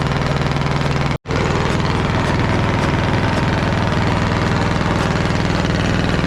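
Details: Caterpillar D8 2U crawler main diesel, first start in its revival after the pony motor was sorted; chugs at a steady, even beat with a deep low rumble, smooth, no knocks or misses. The motor sounds fantastic. Normal diesel running.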